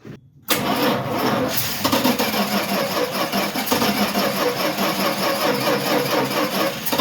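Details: Dodge truck (Little Red Express clone, 4WD) cranking: steady starter churning with no firing; cranks but won't start because fuel isn't reaching it, blocked fuel hose/line found.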